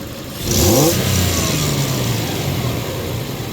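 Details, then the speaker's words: 2000 Toyota Tacoma 3.4 with P0171 system-too-lean bank 1 and lack of power at high speed, quick throttle snap while scoping MAF signal (peaked 4.04 V): crisp rev rises and settles smoothly, no stumble; normal throttle snap, MAF suspected dirty. "Okay. So this one went to 4.04. That's a quick snap, and I'm gonna do a slow snap."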